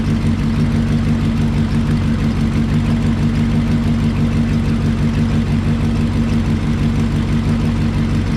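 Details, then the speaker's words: 1968 Lincoln Continental 462 V8 after switching to Rotella diesel oil to fix valve tick: smooth, even idle with steady low rumble, lifter tick gone, much quieter. "i hate myself it's a lot quieter"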